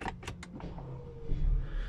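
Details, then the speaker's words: Audi A4 B8 2.0T after high-pressure fuel pump and cam follower removal and refit, primed about four times, then started with brake held. Light clicks, deep rumble catches at once and settles to low idle; clean normal start, no leaks at idle. "starts straight away"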